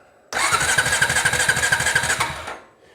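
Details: Honda TRX350TE Rancher ATV, cranking while checking stator voltages (about 7.5 V, stator seems okay): steady churning, about seven compression pulses a second for two seconds, never catches; no spark, traced to a blown ignition fuse.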